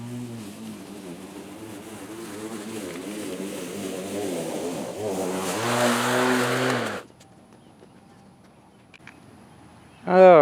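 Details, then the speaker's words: Litheli 13-inch cordless battery lawn mower, single battery, new and first time used, mulching very thick grass: motor whine sags and wavers in pitch as it chews in, then stops; labouring under heavy load but still cutting. "This is very thick grass and it's mulching. So it's a challenge for it. But it is doing it."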